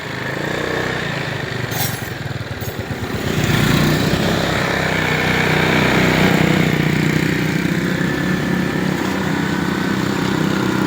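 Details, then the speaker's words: Rusi scooter, overhauled and rebored GY6 after exhaust valve repair and lapping cured a lost-compression hard start: starts on one push, then a smooth, even putter at about four beats a second with no misses or ticking; normal idle. "Oh, ayos. One click lang yung super hard start. Okay na."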